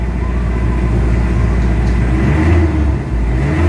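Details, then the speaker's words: Mitsubishi Adventure diesel after engine treatment, earlier low power, throttle delay and vibration: revs from 900 rpm idle to about 2,500 rpm cleanly, smooth pull with an even deep note and no hesitation; healthy throttle response. "ibabalik natin ang ano normal na idling so 900 ngayon ipm natin pakingan natin mabuti yung galit ng makina sa 2,500"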